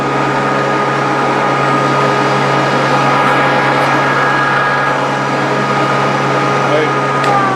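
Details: Grizzly G0458 18in open-arm drum sander, reassembled after breaking down: even motor hum with steady low tone and airy blower rush, no grinding or knocking; runs cleanly.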